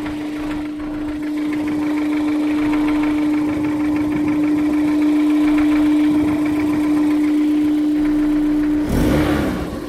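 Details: Honda S2000 at idle 5 minutes after cold start: irregular light tapping, roughly two a second, under a loud steady hum; suspected rod knock, source unproven, not confirmed.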